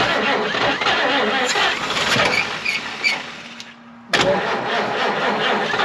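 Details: 1953 Chevrolet 210 barn find with new-old-stock AC Delco plugs on hand, no other tune-up: uneven cranking for a few seconds, short quiet gap, then it catches and keeps running.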